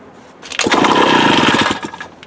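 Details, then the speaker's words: Mid-1950s Strunk Speed Demon chainsaw with 24-inch bar, long stored, earlier weak compression, dirty tank, carb believed to need a rebuild kit: catches with a second-long burst of rapid pops, then dies; won't keep running, cause not confirmed. "hey you might get lucky it sounds like at least tried to run"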